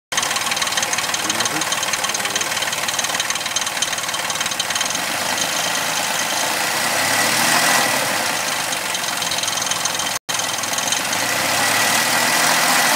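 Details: Suzuki Vitara 4x4 2.0 V6 24-valve idling with an uneven, rattly tapping over the hum; bad engine sound, cause unclear.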